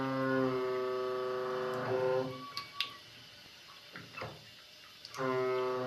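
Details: Faucet leaking with the hot water shut off: loud steady droning hum at one fixed pitch that fades when the tap is squeezed and returns when released; a resonating, humming faucet.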